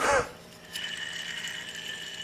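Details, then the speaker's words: Exmark Lazer Z HP 52" mower deck idler pulley, original since 1999 (about 18 years), spun by hand during replacement. Short, faint rough whir with a light ratcheting feel; owner suspects a dry bearing, hard to hear while mowing. "making that sounds like a dry bar which is hard to hear when you're mowing especially with with uh you know noise protection on"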